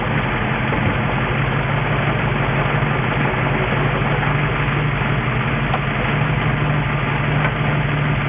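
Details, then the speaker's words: 1963 Ford F350 engine with Cherry Bomb muffler, first run in 20 years after clearing fuel-line air bubble: deep even idle rumble, steady low exhaust throb, no misses or knocks; runs smooth. "Runs smooth. It's got a cherry bomb on it."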